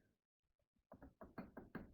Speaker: listen to that just a teeny bit of play other ends are all right i don't know about the other one but i've got two spares anyway